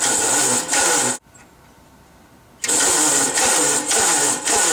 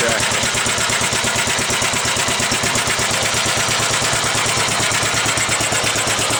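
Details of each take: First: 1945 Gravely L walk-behind tractor, first start attempt with gas added and oil lines bled: uneven starter grind in bursts with pauses, engine never catches; starter likely not spinning it fast enough, later started by pulling. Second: 1945 Gravely Model L single-cylinder at first start-up, with used oil added, oil lines bled and a different plug. Pull-started; the starter may not have been cranking fast enough. Rapid, even firing pulses with no misses or knocks; idles cleanly.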